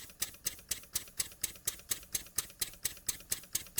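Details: Jowitt Major poppet valve steam engine, first run after ~30 years unused, oiled, cam timing set, run on compressed air from a compressor; crisp, even exhaust clicks about two per second, steady with no knocks or misses: sweet-running engine, governor working.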